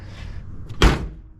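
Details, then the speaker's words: 1988 BMW E24 635CSi door closing: one solid, clean thunk, latching first time with no rattle or bounce; door closing properly. "So what you want to do is hear that ping when it closes. Get a little bit of a metallic ping sound."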